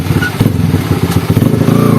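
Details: Honda Sonic motorcycle engine before repair: loud, busy engine note with a thin high whine riding on top as it revs; worn primary drive gear whine.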